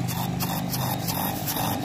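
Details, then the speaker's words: Kada 850 electric air pump after magnet-fault repair, speed-control dimmer refitted: steady, even buzz with low hum, no rattle or knocking; running normally with higher pressure than before. "ये देखें दोस्तों, आप सुन रहे हैं इसकी आवाज़, pressure और बढ़ गया है।"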